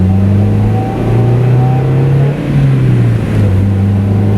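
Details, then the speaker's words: Stock Mazda on its last drive before winter storage, running fuel stabilizer through the system: the stock exhaust gives a deep, smooth drone that swells evenly with the throttle and roars under full throttle, with no rattles. "You know, the stock exhaust in this car is just incredible sounding. I couldn't imagine a better sounding exhaust. I mean, because it's not obnoxiously loud, you know, but it has that, when you really put your foot down, it has that roar, which is always nice."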